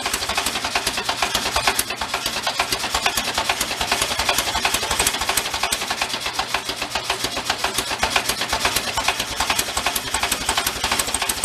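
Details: 1973 Karmann Ghia barn find, air-cooled, just revived, at idle: sharp fast metallic ticking, several per second, steady throughout. Internal knock whose cause is not confirmed.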